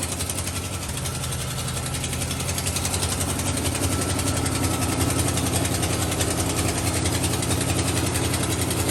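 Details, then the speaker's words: 1969 Dodge Coronet with a 383 big-block Mopar V8, custom eBay single turbo, new heads and cam, and Sniper injection, running hot during first-start break-in: raspy, uneven puffing, tractor-like chuff over the rumble from an exhaust leak at the muffler. "yeah it has an exhaust leak it's coming out of that muffler right there if we took it off it wouldn't sound like that"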